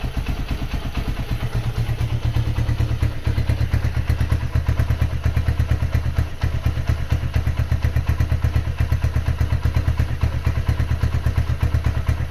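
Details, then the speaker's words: Honda GL100 rebuilt and bored up to 160cc with Megapro parts, an NPP carburetor and a new intake; exhaust sounds light and lacks GL character. Single-cylinder thumps come through even and regular with no gear whine or clatter; smooth healthy run. "Untuk suara knalpot eh agak kurang enak ya. Ternyata setelah dicek knalpotnya itu enteng banget. Eh suaranya juga tidak ada ciri khas GL-GL-nya."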